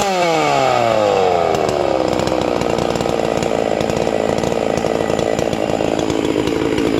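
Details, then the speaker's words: Hypo 660 chainsaw build with port work and a triple-ported muffler: fires, revs up quickly and settles into a crisp, steady high buzz with no stumbling; snappy, healthy running. "it's real snappy for a big saw sounds good"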